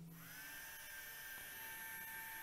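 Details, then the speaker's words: blö micro wearable cooling fan with aroma-oil slot, room 24.8°C, 50% RH, airflow about 1 m/s: spins up to a thin steady high whine, louder than expected with weak airflow; cause suspected as air forced through duct, not confirmed. "The noise is a little bit loud to my expectation, and the wind doesn't feel so strong."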